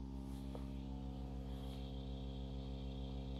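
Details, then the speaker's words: Reloop Mixon 4 DJ controller on its stock power supply, with unshielded cables: steady ground-loop hum plus a pulsing buzz from LED interference, worse once the software boots. It was fixed with a replacement power supply. "can you hear that that buzzing that's nothing it gets worse do you hear that it's picking up all the all the noise from all the LEDs and everything on this thing"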